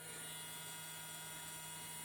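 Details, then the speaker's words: Brand-new servo drive with 520 brushed motor from a voltage stabilizer, fed about 30 V, drawing only 120–130 mA: quiet, steady electric hum with thin high whine, no catching or rattle; runs normally. "так а тепер як працює абсолютно новенький сервопривід це з 520 мотором"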